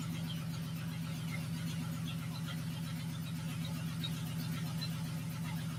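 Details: Honda J-swapped Porsche 914 on first startup: a steady idle with a quick, even clack about four per second; heard on the passenger side, owner wonders about a loose bolt, cause unknown, compression test planned.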